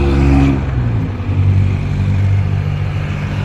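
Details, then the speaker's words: Yamaha NMAX scooter riding at about 20 km/h, noise fading by 40–50 km/h: loud, deep steady drone from the transmission like a plane taking off; worn primary drive gear, to be replaced. "Malakas yung tunog niya. Parang nagte-takeoff na eroplano o kaya malakas yung ugong."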